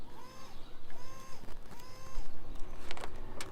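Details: Nissan Z31 300ZX fuel pump powered straight from the battery while fitting a Tomei adjustable fuel pressure regulator: three short bursts of steady whirring hum, each about a second. The pump spins up and runs fine.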